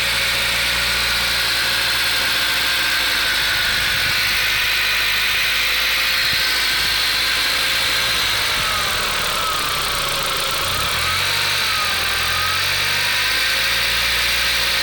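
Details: VW Golf IV 1.8T 150 hp, AGU petrol engine at idle: light, busy metallic clatter about three beats a second from under the valve cover, growing with revs; owner suspects the camshaft chain, not confirmed.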